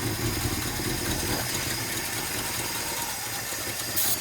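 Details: 1957 Chevy Bel Air V8, first start in 15+ years, new battery, coil and fresh gas: uneven, lumpy idle with wavering speed, wanting to stall; owner thinks it's the carburetor and may fit a new 2-barrel.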